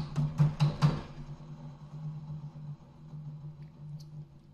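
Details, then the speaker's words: 2007 VW Golf 1.4 TSI twin-charged (BLG), removed water pump/supercharger clutch assembly spun by hand: a few dull knocks then low steady groan while coasting down; worn bearing, excessive pulley shaft play, causing engine rattle at idle. "so what you could hear there is the groan of the bearing inside there's also a bit of excessive movement on that pulley shaft"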